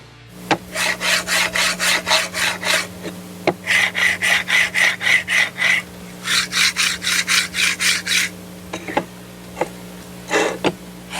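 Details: Budget linear rail (Banggood/AliExpress type), black carriage oiled and silver one greased, slid back and forth against a desk: rapid raspy strokes about four a second, greased one much quieter, oiled louder but fine; normal carriage rolling noise, no binding.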